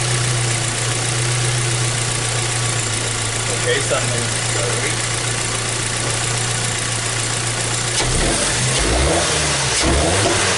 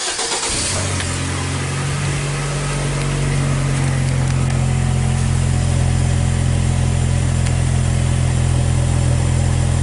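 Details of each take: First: 2014 Hyundai Tucson 2.0 L petrol, after spark plugs swapped: even, steady idle with no shake or miss, then a clean rev that rises and falls smoothly; no longer shaking at idle; normal idle and rev. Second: 2014 Hyundai Tucson, 2.0 L petrol, hesitation and power loss since a recent service; no misfire codes stored. Cranks and catches, then a lumpy idle pulsing unevenly 3–4 times a second, heard at the exhaust: misfire.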